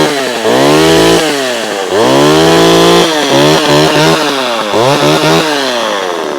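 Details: Vintage Homelite chainsaw with a thumb-pump oiler, started ice cold: a crisp two-stroke buzz revs cleanly up and down several times, even and responsive with no bogging or misfire; saw runs healthy.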